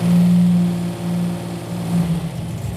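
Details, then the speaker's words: Buick Grand National engine, just restarted after it died and would not start, holding a high idle after rod bearing replacement; fast steady even hum, no knocking where it knocked before; sounds healthy. "But the engine sounds great. This is exactly where it was knocking before."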